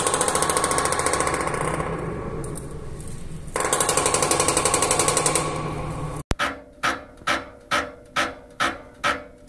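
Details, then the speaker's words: Heating system radiator valve installed against its flow-direction arrow: rapid hammering then regular bangs about twice a second as reversed water flow slams the valve cone; fix is reinstalling with arrow matching flow. "so you saw many of different bulbs may have such kind of banging or knocking noise in a system why this happens this happens because of only one reason a flow goes on a wrong direction"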